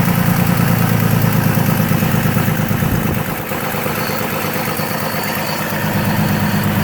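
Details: GMC Envoy XL after being put back together, idling low and uneven with a lumpy pulse of about three beats a second and a dip midway; something still not right, cause unclear.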